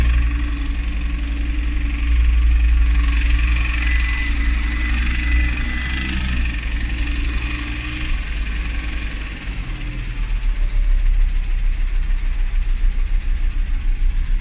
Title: Audi TT RS engine knocking sound